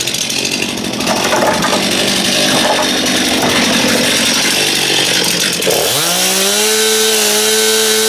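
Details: Stihl MS271 chainsaw test-run after clutch drum (bell) replacement, old drum badly worn and grooved; revs at full throttle, dips and climbs back to a steady high pitch, no misfire; ear-piercingly loud but running normally, oiling checked.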